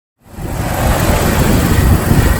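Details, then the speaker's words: 1998 Jeep Wrangler TJ engine that had a squeak traced to the distributor assembly, after a temporary fix of oiling the distributor shaft, with the rotor and cap refitted. The engine settles into a steady idle with no squeak or chirp: normal idle. "so what happened to that squeaking sound it has completely disappeared and this engine is running smooth"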